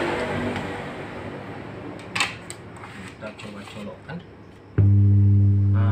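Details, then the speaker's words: Freko amplifier powered on with speaker connected: loud steady low hum from the speaker, indicating damaged final output transistors (all NPN); after replacing them the amplifier worked properly. "dia ada bunyinya teman-teman di speakernya dulu untuk menandakan di bagian transistor ini ada yang rusak"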